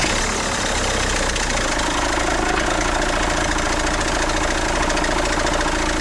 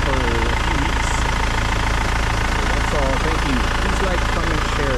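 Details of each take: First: 2008 BMW 520d E60 diesel, cold start after resting hours: clattery idle with thin steady squeal despite new belts, auto tensioner, tensioner pulley and alternator bearing; goes away after 10–15 minutes driving. Drive belt squeal on cold start. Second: 2008 BMW 520d E60 diesel with new belts, tensioner, pulley and alternator bearings, belt treated with dielectric grease as a temporary fix; steady diesel idle clatter, no belt squeal or chirp.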